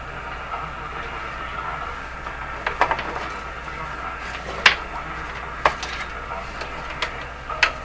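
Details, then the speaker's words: Canadian Philco 409 (46-350) portable tube radio, restored, tuned near 680: each knock or tap sets off a short ringing tone that lingers over a low hiss. Microphonic feedback suspected, possibly from the output tube. "Wow that ever microphonic and i think its feet like feedback so it's it hangs on it rings for a while"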